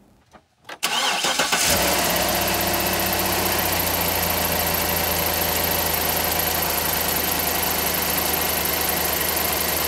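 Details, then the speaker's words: Truck engine cranks and settles to idle with a sharp, rapid ticking puff over the exhaust: an exhaust manifold leak from a broken manifold bolt, ahead of the O2 sensor, which can set lean codes P0171/P0174. "here's an example of the exhaust noise you might hear and this one is because of this broken bolt on the manifold"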